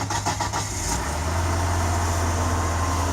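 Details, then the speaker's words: Engine first start after an oil and filter change: brief starter crank, then catches and settles into a smooth even low idle with no knocks or misses; no leaks, sounds healthy. "No leaks. Sounds good."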